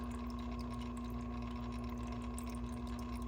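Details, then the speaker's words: SARUFO 1.2-gallon desk aquarium filter pump running normally: steady low hum with a slight grinding edge from the pump at the back and a soft trickle from the filter waterfall. "so as you can hear that grinding sound is the uh is the pump in the back so it makes a little bit of noise the waterfall here coming out of the filter has kind of a trickle sound"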